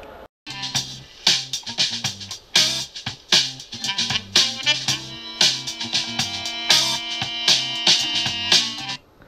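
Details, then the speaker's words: Transformer-coupled solid-state audio amplifier built on a breadboard: music sounds thin and tinny like a transistor radio with no bass at all. Response only picks up around 2 kHz. "it sounds just like a transistor radio there is no base whatsoever"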